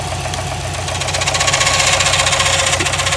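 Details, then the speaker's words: Subaru WRX STI at idle with the timing cover off: a fast, steady tick-knock about four per second. Suspected rod knock proved to be a failed timing tensioner; the noise stops when tension is applied. "you hear all that noise and then the second I put tension on it no more noise so I just want to say that when your car sounds like it's knocking when your car sounds like it's knocking check that first"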